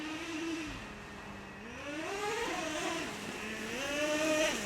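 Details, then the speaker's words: Traxxas Revo 3.3 nitro monster truck, sat 10 years, warmed up, being checked for a second-gear shift problem: engine screams up, pitch drops sharply and climbs again right after launch as the two-speed snaps early into second; shift working. "yeah you can hear the second gear spinning that's perfect"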